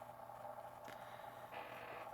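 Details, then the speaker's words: 1970 Panasonic RQ-209AS cassette recorder playing, heard close up inside the mechanism after cleaning, head demagnetizing, pinch roller rejuvenation and new belts: faint, steady motor whir under a few handling scrapes, no flutter or squeal; normal playback. "and oddly enough you hear how the motor sounds listen that's exactly the one same way the one I had back in the day sounded"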